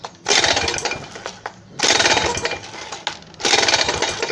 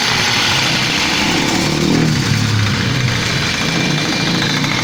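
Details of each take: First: WMX motorized bicycle two-stroke engine, loose engine mount, pull-started: three bursts of harsh metallic clatter. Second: WMX motorized bicycle two-stroke engine, run after reinstalling the belt so the loose engine can no longer shift: rapid, even buzz without knocks or rattles before cutting off.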